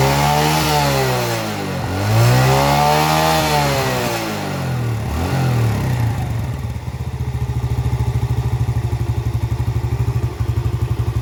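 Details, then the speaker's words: Yamaha Vega R after valve lapping and ring-area cleaning fixed lost compression: revs rise and fall cleanly twice, then a steady, even idle thump; engine starting and running healthy. "Oke Kang Bro, ini untuk Vega sudah selesai Kang Bro ya, dan sudah mau hidup."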